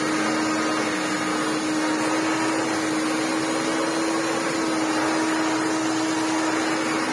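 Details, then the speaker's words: Restored Maytag U5288 twin-chamber bagless upright vacuum, 240 V, on short-pile carpet: steady roar with firm mid-pitched whine, slightly noisier under load; worn motor bearings only greased, not replaced. "It is a little bit noisier once it gets a load on it, but again, I can't replace the bearings. I can only stick a bit of grease on them."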